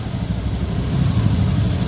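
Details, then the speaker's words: Honda Vario 110 ESP scooter that stalled and wouldn't start, after CKP sensor replaced and fault history cleared: smooth even low idle, no stumbles; healthy. "Khởi động. Được rồi, tốt."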